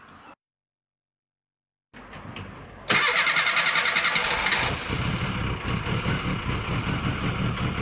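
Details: 1990 Mini ERA Turbo (262,000 miles) after fitting a new carb, topping up 20W-50 oil and re-priming the oil pump: brief crank, then it catches and settles into an even idle with a steady pulse; starts and runs normally.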